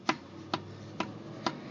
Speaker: I already know this for a fact my lower ball joint is starting to starting to go bad